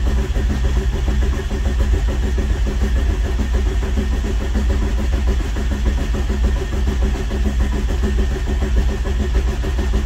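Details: Rebuilt VW Rabbit pickup engine, first crank with main connector disconnected while watching oil pressure: steady even cranking with no firing. Normal cranking; later leaks traced to the wrong head gasket.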